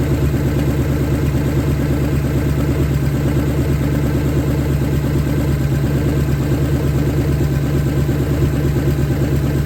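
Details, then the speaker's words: 1970 Ford Falcon, freshly budget-rebuilt 5.0 V8, cold, on open shorty headers, cold oil pressure about 70–80. Steady, even low rumble with a smooth regular beat, no knocks or ticks; starts easily, no weird noises, healthy idle. "thing runs and dry well runs starts up pretty easy which is good the motor's not making any weird noises"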